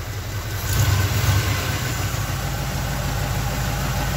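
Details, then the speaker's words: K5 Blazer whose engine died, idling with the idle turned up: steady even low rumble, no knocking or rattle; thermostat not stuck, owner suspects gasket trouble. "Oh, it's running nice and smooth now, not knocking or rattly or nothing."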